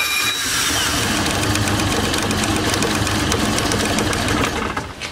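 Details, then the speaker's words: Kazuma Mammoth 800 side-by-side that sat outside about 5 years: busy, even clatter at a steady fast idle with no misses; it runs pretty good once warmed up. "thing runs pretty good once it warms up."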